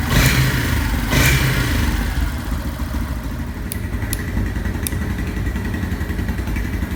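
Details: Yamaha Fazer/Factor 150 single-cylinder at idle: thin steady high whine over thumps like a dry bearing, sometimes with error 46 from battery not charging; exact source unconfirmed.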